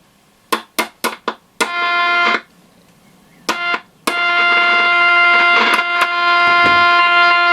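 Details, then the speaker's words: Stella ST415T transistor radio, about 1962, medium/long wave, on battery: after taps on the board it suddenly comes alive and plays; intermittent fault, suspected failing AF117 transistors. "it's sort of trying to work this intermittent which is a classic telltale sign of the af117 syndrome"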